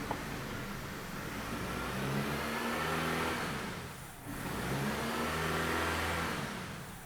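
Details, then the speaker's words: 2007 Dodge Caliber that runs badly despite two new PCMs, intake tube off: engine vibrates heavily, revving up and falling back in slow surges with no throttle control. "so in a good running car this thing should run pretty nice right now and as you can probably hear and see it is not running well at all you can see how much it's vibrating"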